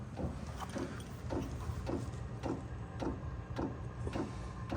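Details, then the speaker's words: Chinese diesel heater (after E-10 error code repair) starting, a little smoke: sharp, even dosing-pump ticks about twice a second over low fan rumble; normal fuel pump ticking during start. "So basically right now, we want to see what happens. There's a little bit of smoke coming out. You can physically hear the pump."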